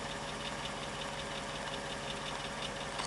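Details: Light, fairly regular ticking knock at about 167 per minute over a steady idle on a 2005 Mercedes W211 E55 AMG, plus a whine with slight throttle; owner hears the tick under the left wheel, source unclear.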